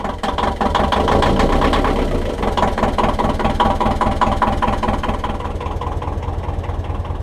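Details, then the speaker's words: 1.5 BMC diesel narrowboat engine after glow plug replacement, 10 seconds preheat: catches and settles into an even, steady low idle clatter without stumbling; starts much better, less smoky and less lumpy than before. Normal diesel idle. "She's still a bit smoky, but it's better than it was. There we are, she starts up loads better now. Still a bit of smoke, but it wasn't as bad as it was before, and she seems to run a little less lumpy."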